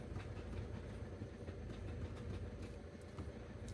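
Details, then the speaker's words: Ford Transit Connect in for clutch replacement: rough low rumbling clatter at idle with clutch pedal pressed, won't go into any gear; suspected failed concentric slave cylinder or completely worn clutch, not yet confirmed. "it just won't go in gear in any gear in fact so that tells me the very common issue in this vehicle which is the concentric slave cylinder"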